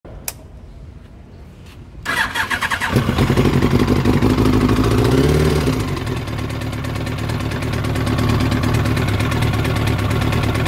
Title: YAMAHA R1 ENGINE KNOCKING REPAIR